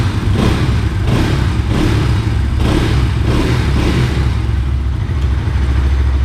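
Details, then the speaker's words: Bajaj NS200 single after head work fixing timing-chain tick: repeated rev blips over a loud silencer, clean with no top-end ticking; the loudness is the silencer, otherwise the engine is fine. "ये तो मेरा silencer है जो इतना तेज हल्ला करता रहता है बाकी बढ़िया हो गई है"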